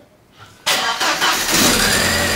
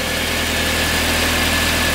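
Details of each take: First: VW Passat B5 after standing: short crank with a few stumbling catches, then it fires and settles into a steady, good idle. Hard start; too much air in the fuel lines is suspected. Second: VW Passat B5 restarted with air purged from the fuel system: a steady, even idle with a smooth low hum and no knocks or stumbles; it runs well.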